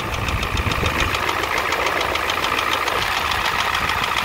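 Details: 1988 Ford F250 7.3L IDI diesel at steady idle: sharp knock three to four times a second over loud clatter; high-pressure fuel line leak, white/grey exhaust smoke, smoke from the oil dipstick, oil in the add zone; cause not pinned down.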